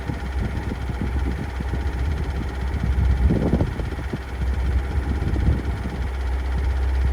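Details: 2022 Kia Sorento 2.2 diesel MQ4 at cold start idle: sharp, rapid ticking knocks over a heavy rumble, still present a month after service. Dealer says the engine is fine with no fault codes; cause unknown.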